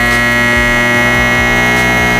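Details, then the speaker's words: High-current microwave oven transformer (MOT) build, secondary shorted by a half-inch bolt: loud, harsh steady mains buzz with a rattling edge, vibrating the floor; transformer overload buzz. "The MOT started working so hard it started to vibrate the floor and I could feel the buzz on my feet. And I was like: "Should I unplug this?""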